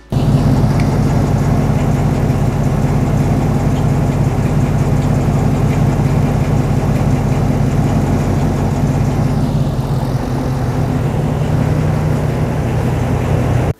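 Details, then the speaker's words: Gen 3 Hemi 5.7 V8 idling: a light, uneven, intermittent ticking rides over the steady rumble, like a ping-pong ball bouncing loose inside. Lifter tick, which often comes with a damaged camshaft and needs cylinder-head removal to fix. "it almost sounds like there's a ping pong ball loose inside the engine bouncing around it just has that kind of intermittent like type noise that's what it sounds like to me that is a lifter tick scenario"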